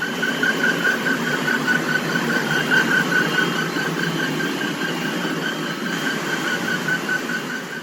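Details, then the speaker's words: Blower fan V-belt with too little tension: steady high-pitched squeal with a chirping pulse about twice a second over the fan whoosh as the loose belt flaps and slips, leaving black dust. "벨트가 파닥파닥 거리면서 끼끼끼끼 미끄러지다 저렇게 주위에 이제 시커 맣게 또 가로 다 날려 있고요"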